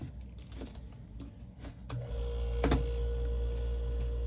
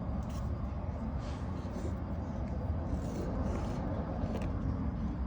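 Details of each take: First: Vissani HVBC31ST beverage cooler after the start device was replaced: quiet, then a steady low hum with a faint tone kicks in at about two seconds and holds evenly. The compressor started and is running normally. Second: Vissani HVBC31ST beverage cooler not cooling, just plugged in: a few sharp clicks over a low rumble as the compressor tries but never starts. Power is reaching the compressor; the start device or compressor is suspected.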